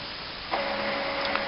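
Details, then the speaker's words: DX8400 printer after installing a CISS: cartridges recognised, quiet hum jumps to a steady pumping whir with faint tone and small clicks as it charges the ink; normal ink charging cycle. "and you can hear it charging up. It's recognised the cartridges, and now it's going to charge the ink."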